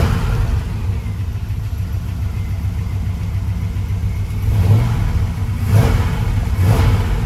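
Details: Freshly restored 1972 Chevy C10 Cheyenne V8 with headers and ATI distributor: deep even idle with three clean throttle blips rising and falling smoothly, no knocks or misses; runs healthy.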